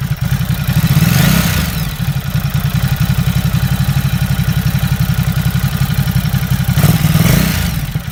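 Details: Ducati Supersport at steady idle: fast, fairly even light clatter of about four ticks a second over the low thump; owner asks if this is normal, source unknown.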